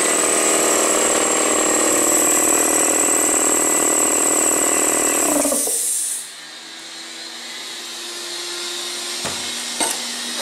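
Steady loud motor-and-pump roar with an even high whine, running smoothly until it shuts off around six seconds; compressor sounds healthy.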